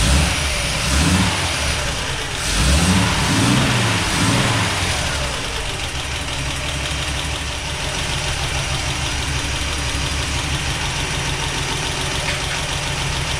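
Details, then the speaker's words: Toyota FJ40, first start after a full engine rebuild: rough, uneven idle with light quick ticking about three taps a second; timing is off, a forgotten vacuum hose makes it run very rich, and the lifters tapping need re-adjusting. "Nous devrons à nouveau ajuster le lève-personne Vous pouvez les entendre tapoter"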